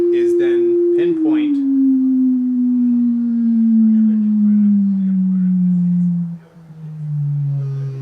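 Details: 1990 Mazda Miata door speaker playing a sweeping tone-generator test tone: at certain notes a rattling buzz joins in, from the tweeter crossover box stuck inside the door vibrating; reaching in stops it.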